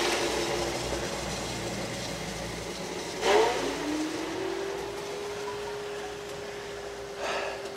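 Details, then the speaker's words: Microhydro turbine at 116 psi on first start of the season after new hoses: water rush, then a whine that climbs and levels off at a low steady pitch; underspeeding because the supply valve was not fully open. "now i have a small i must have a small nozzle on there or there's a clog and that's why it's not spinning up all the way let's try this one oh i know because the valve because the valve here is not open all the way"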